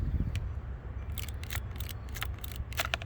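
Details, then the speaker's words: Used dual-sport dirt bike, clutch lever pulled with the engine running: dry, scratchy crackling bursts in the clutch cable, which is fraying and could snap. Cable needs replacing. "If you hear a crackling noise in the cable, that means you got to replace the cable, and this one's gonna need to be replaced."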